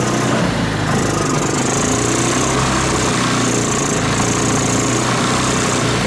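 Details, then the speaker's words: 2014 Linhai Big Horn 400 UTV, revived after a spark loss using a portable 12V CDI ignition, new plug and harness rework, with air cleaner off and a temporary gas tank. Uneven, stumbling single-cylinder thump that never settles; runs rough but keeps going. "well well I think I got it running again it's obviously uh but goodness but I'm not happy you have she seems to be fussy"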